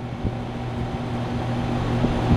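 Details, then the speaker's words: HVAC outdoor unit fan with a failed run capacitor, jump-started by spinning the blade with a stick: steady low hum and even whoosh of air, no stalling or knocking; fan now running properly. "so what you do is take a little stick and spin your fan and you jump start it up until you get this in the mail okay now your fans blowing and you're going to have your cool air"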